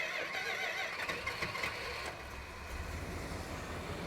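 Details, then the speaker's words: All-original 1972 Imperial LeBaron, about 13,000 miles, 440 V8, original vintage Chrysler starter, engine warm; whirring rhythmic crank about two seconds before the V8 catches and settles: normal starter cranking. "I don't want it to start more quickly. I want the vintage sound of a Chrysler. Let's listen to it. And it's engine's warm, so it might crank for a couple seconds, too, so you can hear it a little longer."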